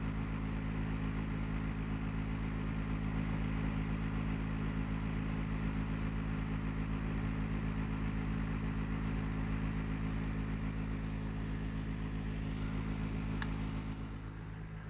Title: GREE CLIMA loud noise problem